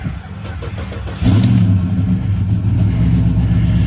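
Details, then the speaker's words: 2007 Cadillac Escalade EXT V8, parked about 2 years after the transmission stopped shifting reliably; short, uneven crank with some weird noises, then it catches at once and settles into a strong, steady rumble; normal start. "It made some weird noises here. It fired right up."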